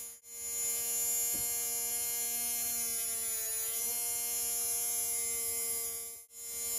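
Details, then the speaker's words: Tamiya Mini 4WD brushed motor during break-in: high, steady electric whine holding one pitch, smooth even tone; motor spinning freely and healthy. "so you can hear it's starting to break in okay and you want to keep running for about 1 minutes"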